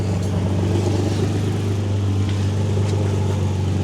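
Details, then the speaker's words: Nissan 350Z after fixing a Y-pipe exhaust leak with an extra-thick gasket at the Tomei cat and test pipes: steady even low idle with smooth exhaust note, no ticking or puffing; exhaust sealed, normal idle. "So, so far I guess we've done it. So far so good. No leagues."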